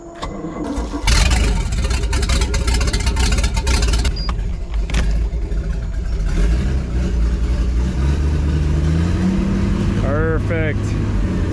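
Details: 1989 Raven Countach boat V-engine after refitting the drive in forward gear: catches quickly, idles evenly with one clean throttle blip, no shudder or knock; then 13.7 V charging, about 45 psi oil pressure, warming to 150-170°F.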